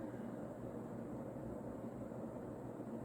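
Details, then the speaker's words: Vintage, probably early-to-mid-80s Union Ngok Kee 'Super-36' 36" spinner ceiling fan, model 4CLW-3SPC, rebalanced after bent blades, on high speed: smooth even blade whoosh with a soft steady motor hum, no wobble or ticking; a nice runner that moves a lot of air. "so yeah it's a very nice runner a little bit of motor noise moves a lot of air"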